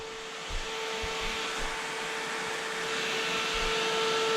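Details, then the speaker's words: Toyota Hilux with Lexus V8 swap, newly wired electric radiator fan with added relays, switched via aircon button; steady whooshing airflow, even mid-pitched hum, no rubbing or ticking, fan spins the correct way, normal. "And we have a fan. And it's going the correct way."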